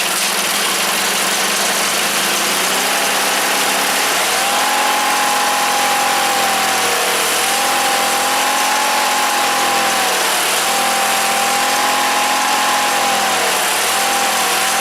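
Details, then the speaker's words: Briggs engine on a Wheel Horse GT-1800 Work Horse tractor after fuel pump repair, choked and primed: engine runs unevenly, speed hunting up and down; owner suspects the carburetor needs rebuilding. "In this instance, it sounds like carburetor needs to be rebuilt."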